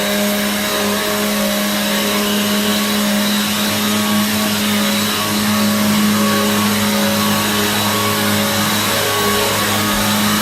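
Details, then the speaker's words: Free Hoover vacuum after repair: the motor was taken apart, cleaned and its bearing oiled. A steady, even motor whine holds a constant pitch with smooth airflow rush and no grinding or rattle. It sounds healthier than before, a normal-running vacuum motor. "kind of it sounds a little bit more healthier because i literally took took apart the motor today i've given it a nice clean and now i could use this"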